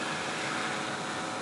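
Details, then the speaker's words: Steam boiler in Clearwave water treatment experiment, warmed up, hottest spot about 467 degrees, possibly running slightly cool: steady even roar without pulsing or rumble; burner firing smooth steam, jumping around only a little; normal. "boiler's running pretty smooth on our water it's jumping around just a little tiny bit not bad we're burning pretty we're firing pretty smooth steam not bad at all"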